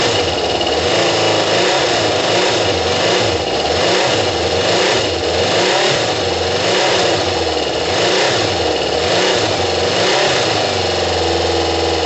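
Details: Kawasaki ZL600 motorcycle with new coils, tuned carbs and valves done, after correcting the plug lead firing order; cold, coolant hoses off: engine catches and revs up and down in repeated blips, crisp and even on all cylinders; running normally.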